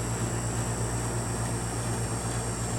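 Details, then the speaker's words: 1971 GM Montgomery Ward Signature 6,000 BTU window air conditioner, about 50 years old, running and building head pressure, ice-cold output: smooth, even low hum with steady airy rush, no rattles or surging; it purrs, insanely quiet, healthy. "It's insanely quiet too. Rotaries, they rattle and make a lot of noise. This thing purrs and you barely hear it, but what you do hear, it sounds really nice."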